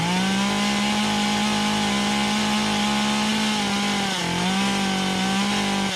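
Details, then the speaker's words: Stihl MS 193C chainsaw after carburetor cleaning fixed cutting out on throttle: high, steady full-throttle scream with only brief dips as the trigger eases. Revs clean with full power and no bogging; running normally. "So, as you can see, we hit the trigger, we got power. I know this will cut like this. I'm not gonna lose power with the way it's running. Right now it's running as it should."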